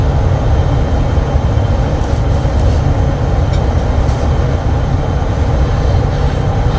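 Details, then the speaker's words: Bryant HVAC air handler that showed error code 41, after replacing the bad Genteq ECM 3.0 GC08 motor module: steady, even rush of air with no clicks, surging or rattles; normal blower operation, which later ran about an hour with no code. "So is that noise good? This noise is good, but it needs to stay on. That's where we have the issue."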